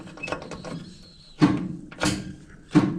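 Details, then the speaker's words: Willys Jeep, key on; three sharp clunks about two-thirds of a second apart with no motor spin, starter solenoid clicking. "Yep, I think that's going to actually do something there. Sounds like that solenoid's clicking"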